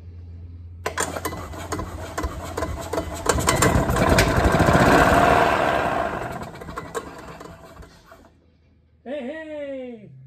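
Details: Early-90s Club Car Carryall, probably unrun for about three and a half years, with its carburetor bowl filled with 91-octane premix: it cranks, catches and runs a few seconds with an even beat, then dies as the fuel runs out; fires cleanly.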